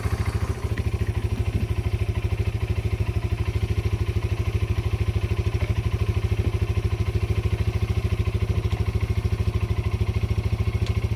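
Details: Yamaha Breeze 125 (Grizzly 125) single-cylinder quad, first start after two years in storage, choke on: the engine thumps along at an even idle, roughly three beats a second, with no misses or knocks; it runs fine.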